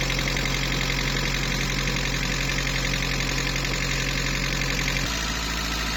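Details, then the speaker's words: VW Polo Mk2 breadvan with 100hp engine, idling after being run to let the lifters pump up. Fast light ticking, about three a second, rides over the idle. A persistent top-end tick was located by stethoscope, and the cause remained unfixed. "and I put a stethoscope around here, and it sounds like it's a ticking coming from around here somewhere. It just will not go away."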